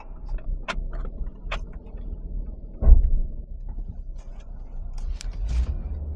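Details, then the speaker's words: 2020 Dodge Ram 1500 with erratic automatic shifting and a third-gear code, battery at 10 volts: quiet cab with one dull low thud when shifting into reverse; clunk suspected from the rear differential. "it kind of sounds like coming from the diff yeah that's I was just going to say it sounds like it's clunking back in the DI"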